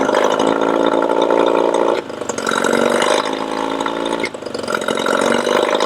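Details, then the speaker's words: Yamaha 20 HP outboard running: steady drone that dips and sneezes about every two seconds then accelerates again; fluctuating RPM and lean sneeze, starting fluid smooths it; vacuum leak suspected. "The other thing you will have noticed, if you can listen to that motor when it's running, is it runs okay, it actually accelerates, does its little sneeze, goes back, accelerates. So it has this fluctuating RPM, and that's a classic symptom of a vacuum leak as well."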